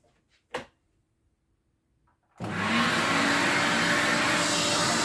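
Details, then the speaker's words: 1979 Electrolux Z96 vacuum cleaner, floor head on carpet, before servicing: a knock, then the motor spins up to a steady high rushing whine that sounds strained, as if starved of air; labouring, cause unconfirmed. "on the carpet sounds like it's struggling a bit it's like it needs a release of air or something"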